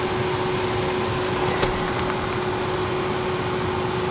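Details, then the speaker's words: Ford Focus cabin blower fan, newly installed replacement after water burned out the old motor, tested on speed 2: steady airflow rush with constant mid-pitched motor hum, no squeal, rattle or ticking; normal. "Fire it up. Here we go. And it's working. Got the vent going. That's 2."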